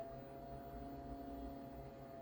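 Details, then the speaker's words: Old junk desktop PC (3800+ CPU, 2 GB RAM) running: a steady whirring with a thin constant whine over a low hum. Noisy, rough cooling fan, suspected but not confirmed to be the CPU fan. "That fan sounds terrible. I think that's actually the, CPU fan that sounds like that."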